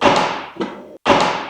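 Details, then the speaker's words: Crashed 2018 Honda CBR1000RR, first start attempt: each press gives a hard single clunk with no cranking, engine won't turn over; owner suspects oil got into the airbox and hydrolocked the engine, not confirmed. "so everything is locked up and can't move and that is exactly what it sounded like when I cranked"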